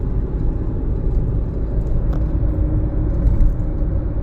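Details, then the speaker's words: 2017 Jeep Patriot, 142k miles, road test at about half throttle after a 6F24 six-speed automatic service with Amsoil Signature Series fluid; steady low rumble, no flare, slip or clunk between gears, shifts feel good. "Giving it about half throttle. I gotta say, the shifts feel good."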